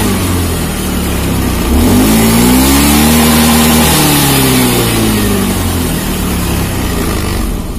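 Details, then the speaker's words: Honda Beat FI scooter, after the battery fault behind its weak fuel pump pressure was dealt with; charging holds at 14 V while revved; pitch climbs smoothly with throttle, holds, drops back cleanly to idle, no misses. "Oke, angkanya tetap stabil di angka 14, pengisian oke, dan motor bisa enak."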